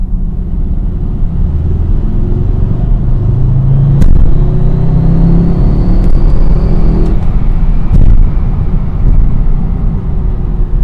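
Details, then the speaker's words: Car with newly installed Stage 3 daily DXD clutch, in break-in, driving under light throttle in second gear: sharp rattling clicks over road and engine rumble; owner suspects clutch hydraulic hose rattling against the chassis leg, not confirmed. "they said there was a the clutch hydraulic uh ho the clutch hydraulic hose or something like that is rattling off of the chassis leg"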